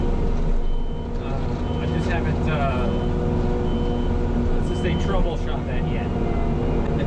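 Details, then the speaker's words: New mulcher with carbide knives on a diesel carrier, shredding a dirt mound: high beep about every second persists over heavy diesel and mulcher roar while travelling forward; backup alarm sounding during forward travel. "And yes, I know you might be able to hear the the backup alarm."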